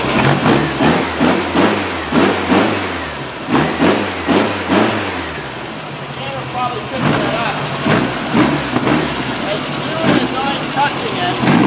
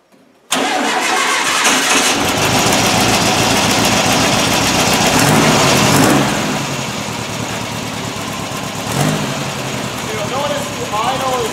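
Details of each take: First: Freshly rebuilt VW air-cooled flat-four with header exhaust, electronic distributor and high-energy coil, in a 1957 Porsche 356 replica kit car, first start: lumpy idle and blips with slight backfire, flutter and popping because ignition timing isn't set yet. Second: Freshly rebuilt air-cooled VW engine for a Porsche 356 replica, broken in, new crank, camshaft and lifters, new header exhaust, electronic distributor and high-energy coil: starts at once, steady crisp idle with snappy throttle blips, healthy.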